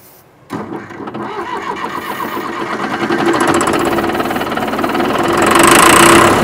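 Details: John Deere 450C track loader diesel pulled from woods: turns over steadily about four compressions a second, building louder but never firing; fuel shutoff solenoid wire was found disconnected.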